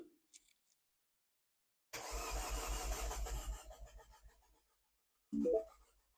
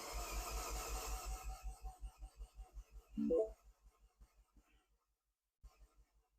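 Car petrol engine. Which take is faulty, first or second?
first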